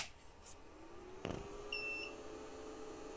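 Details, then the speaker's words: Two Trees Bluer 3D printer after replacing a noisy fan: click and short beep at power-on, then only a faint steady hum, machine now nearly silent; the slight remaining sound comes from the power supply fan. "ama gerçekten de makine oldukça sessizleşti yani önceki o zararlılardan sonra Şu an yani bunun yanında yatıp oynanabilecek derecede azaldı"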